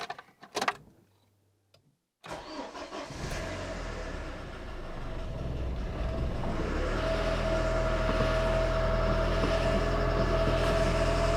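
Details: Ford Escort 1.6 16v barn find, start after refitting battery, cam belt not yet changed: catches after a short crank and settles into a steady, even run that builds slightly, no squeal or chatter; healthy start, charge light now works.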